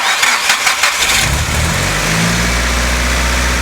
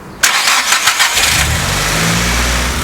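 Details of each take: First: Nissan Silvia S15 with a dead battery jump-started with a NOCO GB70 at about 11.2 V: the starter churns with uneven, dragging strokes for about a second before the engine catches and idles; labored cranking. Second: Car with completely dead battery (4.3 V) jump-started with Noco GB150 booster: about a second of quick, strong cranking, then it catches cleanly and settles to steady idle; normal, powerful start.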